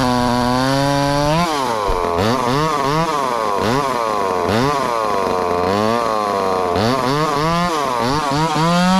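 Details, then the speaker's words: Ported 2375 chainsaw on methanol after carb mods and ignition timing changes, bar buried in dense wood: revs bog and surge in uneven swoops as it chugs. Owner judges it a little lean but not dangerously so, and says it needs more fuel. "it is a little lean but it ain't dangerously lean i don't think or she would have seized up and popped there in the cup"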